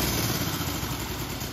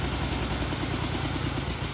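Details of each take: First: 1965 Honda CB77 Super Hawk twin, restored and started for only the second time with carbs not yet dialed in, idles at a steady, even 800 to 1,000 RPM putter; it dies when throttle is released, needing idle adjustment. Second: 1965 Honda CB77 Super Hawk first start after restoration, carbs not yet dialed in: uneven low idle sagging and loping then dying when throttle released; idle speed too low, target 800–1,000 rpm, needs idle adjustment.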